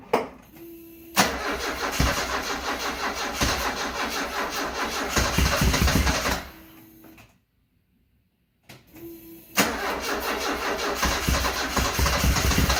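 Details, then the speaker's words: 1974 Alfa Romeo Spider Veloce, 10K original miles, stored 30 years; start attempt from driver's seat with throttle pressed: two long cranking bursts, steady churn about three beats a second, never fires; crank no start. "Well, you heard the results. Back to square 6."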